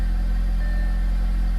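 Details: Tuned Audi at idle after new spark plugs, intake and diverter valve install: deep, smooth, even hum with no rumble or misfire; previous rough idle gone, engine running cleanly.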